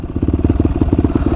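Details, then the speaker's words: Single-cylinder motorcycle idling with a quick, even, light tick over steady pulses, about ten a second. Valves, timing chain, tensioner and piston were checked fine; owner suspects the clutch area or pipe, possibly the Motorworks silencer, known for ticking. "does have that little tick to it though. I don't know what that is. Almost sounds like it's coming from the clutch area."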